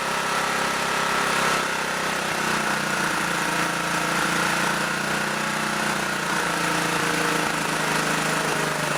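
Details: Auction generator at no load, low on gas, being set to a little over 60 cycles: screams at a high, steady pitch with no drop in speed; the idle stop screw is wound fully in.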